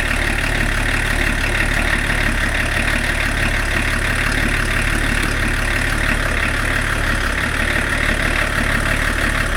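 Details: BMW E34 TDS diesel after first service in over ten years with new water pump, belts and pulleys: even, steady idle clatter with firm low thrum, no stumbles or hunting; healthy idle.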